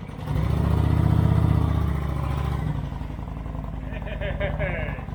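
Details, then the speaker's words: 2008 Kawasaki Vulcan 900 Classic LT, first start in 8 years after refurbishment with fresh fuel and new battery: deep, even rumble at steady idle with no knocks, misses or rattles; runs like a brand-new bike, normal running. "that sounds beautiful I can get over how good it's running wow"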